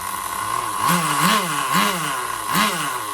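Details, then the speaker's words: Duratrax Overdrive ST nitro engine, modified with a different piston and sleeve and a Tamiya carburetor; revs in quick rising surges, sharp and screaming near the top: a slightly lean top-end mixture, attributed to the bigger engine. "I know she's a little lean on top, because this is a bigger engine."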